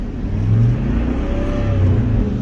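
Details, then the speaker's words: 2003 Chevy truck with a bad transmission: the engine revs steadily with a rising drone but never settles under load, as if the gearbox isn't taking drive. It is hard to get into first, won't go into second or third, sometimes not reverse, and fourth and fifth went out yesterday. "sometime it won't go in reverse our first second third nothing nothing fourth fifth went out yesterday"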